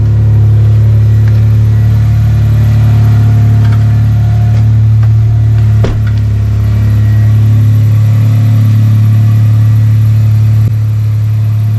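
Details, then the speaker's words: 1998 Toyota Tacoma SR5 3.4 V6, high mileage, idling after catalytic converter replacement (old cat gaskets burnt out, exhaust leak): steady low rumble, no puffing or ticking; all exhaust exits the back, no leak. "all the exhaust is coming out the back now"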